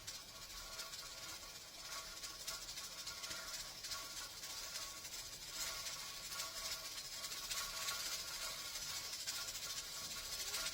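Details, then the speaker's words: Pressure canner with 10-pound weight, heated to almost 14 psi; steady hiss with quick irregular jiggling tick as the weight starts rocking, the audible sign of reaching correct pressure. "I'm almost at 14 PSI now it's starting to move that is an audible indicator for me to know that I have hit the correct PSI"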